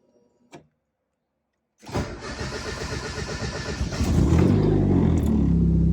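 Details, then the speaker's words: Turbo 1.6 Miata with NB6 intake manifold, Skunk2 throttle body and -6AN fuel lines, after adjusting the idle screw: brief crank, then a steady, even idle holding on its own; smooth, healthy. "well it's idling on its own let's go just The Idler screw it is oh that sounds good so smooth"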